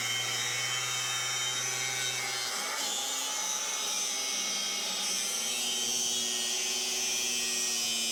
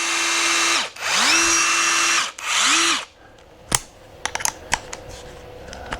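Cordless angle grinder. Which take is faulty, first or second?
first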